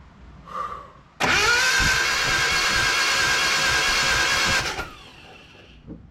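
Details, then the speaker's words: Datsun 720 King Cab pickup sat about 17–20 years, compression test on cylinder 4: fast even starter cranking with no compression chuff, reading zero; suspected head gasket, cam timing or valve adjustment. "Goose egg. Nothing. No compression."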